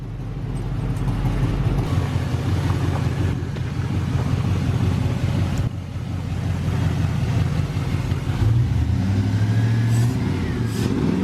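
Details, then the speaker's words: LS-swapped Suburban after replacing a twisted piston and rod, new cold air intake: low, soft, even rumble with no knocks or ticks; V8 idles smoothly and so quietly it barely seems running, healthy. "god it's so quiet can barely even tell it's running right now"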